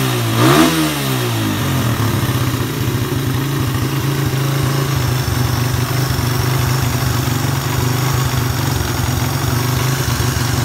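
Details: Suzuki Satria F150 that runs but won't rev and is sometimes hard to start, started with a ground wire run to the engine: catches quickly and settles into a smooth even run with a steady low note; normal idle and revving.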